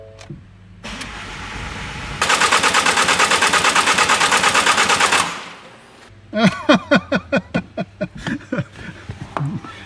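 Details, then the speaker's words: Ford Mondeo Mk5 after snapped timing chain repair, fuel rail drained: starter churns about three seconds without firing; low-pressure pump running but high-pressure side not yet primed. "it don't want to go just yet we'll give it time because we have to get got to get the fuel around properly i know the fuel's going through the low pressure side of things i can hear the pump running"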